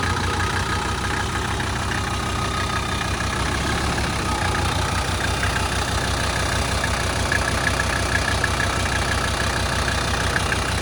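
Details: 1985 Mercedes 300D turbo diesel, long unused, with a new battery, brake booster and vacuum booster; even diesel clatter at a steady idle with no misses, knocks or surging. Normal idle.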